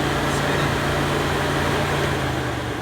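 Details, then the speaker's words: Car radiator cooling fan powered with a test adapter plugged into the fan relay socket: constant whooshing air with a steady low motor hum, no rattle or scrape; fan wiring and fan are good, running normally. "all I'm doing is I'm toggling this way so the wires going to the fan are good and the fan is good as well"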